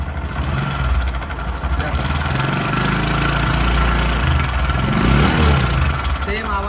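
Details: Bajaj Discover 100 BS3 motorcycle, before repair: loose rattle at about four beats a second rides over the idle and blip; worn, stretched timing chain, tensioner tightening failed, fixed by replacing the chain.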